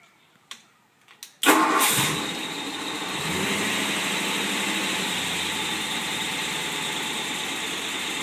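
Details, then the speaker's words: 1955 Ford Thunderbird Y-block V8 on run test stand, not yet warmed: a few starter clicks, then it catches and settles into a steady, even idle, no smoke, misses or knocks; oil pressure 42.5, vacuum steady at 20, about 1000 rpm; healthy engine. "you can see motor runs smooth without any smoke"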